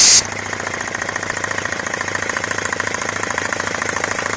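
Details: Homemade belt-driven compressor on 240 V switch, starting up after belt fix and redone intake with small filter, said to spin about 1070 rpm: fast, even chattering pulses with steady pump beat, no knocks or squeal; running smoothly.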